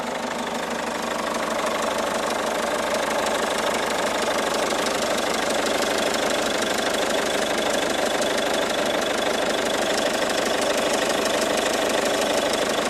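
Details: 2012 Peugeot 207 HDi diesel: steady idle with regular knock about three times a second over the diesel clatter. Engine knocking noise, cause not clear.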